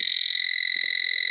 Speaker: Yep, my sniffer is upset.